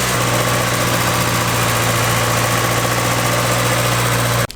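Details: EK Honda Civic with Y7 block and Y8 head swap, warming up, fan not yet on, idle not adjustable until timing light is used: steady even hum held at raised speed with no hunting; high idle, cause suspected, not confirmed.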